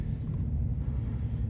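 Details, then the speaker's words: 2018 Chevrolet Silverado at 100,000 miles, road test after replacing the sway bar link for a left-front clunk/rattle. Over small bumps and manhole covers there is only a low, even road rumble with no clunks or rattles. Quiet suspension, fixed. "make sure that we did it right little bumps right here there's some manhole covers here there's a good bump up here too yeah instantly it's uh it's fixed"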